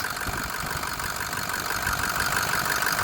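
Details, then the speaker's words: 2006 Ford F250 King Ranch FX4, 6.0 Powerstroke diesel, 129k miles, one owner, dealer maintained, bone stock; zero blow-by, no head gasket issues, no upper radiator hose pressure. Even, steady diesel clatter at idle, about three beats a second, no misses or knocks; nice smooth, healthy idle. "Nice smooth idle. Sounds healthy."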